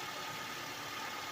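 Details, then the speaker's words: 2006 Honda Accord EX 2.4L just after radiator replacement and coolant burping: short, even, steady idle under some hiss, no knocks or misses; run to check for leaks, normal idle. "and close that out. Seal the system and let it run and see if there's any leaks."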